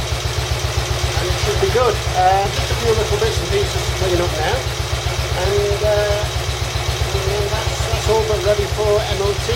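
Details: Royal Enfield Bullet 350 Classic first start after partial seizure repair, cylinder hone, new rings, decoke, valve clearances set and carb cleaned; steady low even thump with clean regular beat, nothing knocking, healthy idle, carb needs fine tuning.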